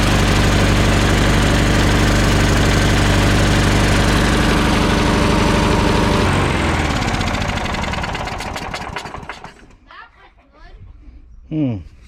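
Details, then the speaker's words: Troy Bilt mower, old Briggs & Stratton Quantum Power 4 HP engine brought in for gas leak and no-start, started on third pull with choke fully on, smoking. Loud fast even beat, then dies away: rich rough running on full choke. "Okay, this started on the 3rd pull. It started right up, and you can see how it was smoking with the choke fully on."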